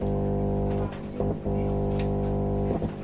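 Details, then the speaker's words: Power amplifier with mic tone board connected, bass tone control section added: loud, steady low mains hum with thick overtones, stronger than with tone control alone. "Jadi suaranya itu sangat keras sekali untuk di bagian dengungannya. Jadi untuk barang seperti ini jadi sangat sensitif sekali dengan suara dengungannya."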